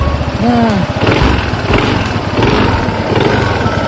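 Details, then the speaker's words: Honda ADV 160 scooter after its last free dealer service, with gear oil changed and CVT roller housing replaced: even, quiet idle with smooth drive-side hum, no rattle or grind from the belt housing; CVT now surprisingly smoother and quieter. "nah ini Sob suaranya jadi lebih halus surprisingly"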